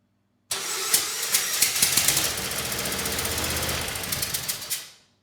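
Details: Kohler SV730S-0011 on a Bobcat zero-turn mower (Ransomes 942205) starts straight away during a stator test, running a few seconds with a steady, busy clatter, no misses or knocks; stator output checked good, sounds healthy.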